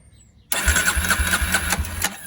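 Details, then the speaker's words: Barn-find Polaris Predator 500 quad on a jump box with starting fluid, third attempt: about 1.5 s of quick rhythmic cranking pulses with a faint catch, then silence; engine coughs but doesn't start yet. "Oh, she coughed already. Did you hear it? I'm about out of this stuff. Come on, old girl."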